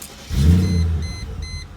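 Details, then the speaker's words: 1999 Mercedes SL500 starting and idling with an aftermarket Flowmaster muffler: deep, booming low rumble, much louder than stock, likened to a dragster or Chevy 350; loud aftermarket muffler exhaust note. "so this guy put a ridiculous flowmaster muffler on it so you guys are going to hear some sounds you probably didn't want to hear"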